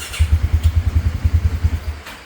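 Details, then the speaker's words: 2017 Polaris Ranger 570 EFI, in rain: low thumping beats about seven a second fade and die after two seconds; won't hold idle and stalls around 1200–1250 rpm. It was hard-cranking the day before; cause not yet found. "right there. Cut off 1250. Cut off 1200. So, something's going on."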